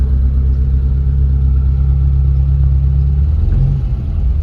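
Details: Short-wheelbase Mitsubishi Pajero, 4G54 with Weber carburettor, after the botched aftermarket timing chain repair was fixed, timing and carb tuned, oil leaks repaired and a faulty plug swapped: a smooth, low, even idle rumble with no ticking or misses; healthy.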